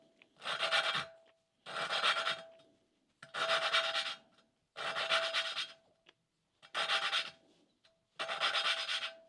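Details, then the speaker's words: Hand lapping a valve on a 1988 Suzuki GSX-R1100 cylinder head with oiled valve: slow, even back-and-forth gritty rasping strokes while valve and seat are not yet mated; the grinding should smooth out once seated. "you're going to hear the same sort of grinding sound and then it should smooth without"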